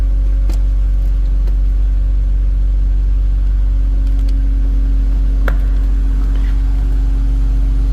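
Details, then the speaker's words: 2000 BMW Z3 convertible, no check engine light: steady, low, even hum with no knocks or ticks over a heavy low rumble; engine idles smoothly and sounds healthy. "sounds good too"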